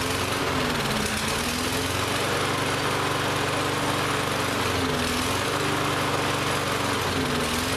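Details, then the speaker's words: Lawn-Boy lawn mower, which ran last season but wouldn't start this season, now runs roughly, pitch hunting and surging every few seconds; the carburetor is still partly gummed up and starving it of fuel. "so we've gone from a no start condition to it runs it doesn't run well so that tells me that carb is still a little gummed up"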